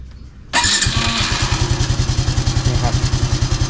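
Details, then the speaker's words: Honda Wave 110i after starter gear repair: electric start catches cleanly, quiet, no clatter or banging gear noise anymore, then even idle thump about 200 a minute; normal start. "อ่ะคะนักก็เงียบเหมือนเดิมครับไม่มีอาการดังแบบแก๊สแบงๆไม่มีแล้วครับ"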